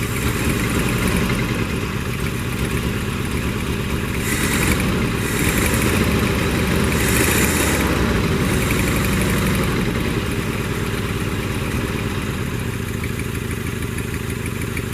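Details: 1982 Toyota SR5 4WD Trekker pickup, returning to the road: low, lumpy idle that wavers and stumbles, barely keeps running; must be held in the cab to stay running.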